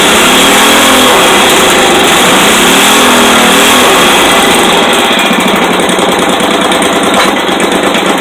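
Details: Rebuilt 5hp Briggs & Stratton flathead single-cylinder with a used rod fitted, running on the bench with the throttle zip-tied open: fast, sharp, rapid-fire popping at a steady high pitch, running evenly; normal running.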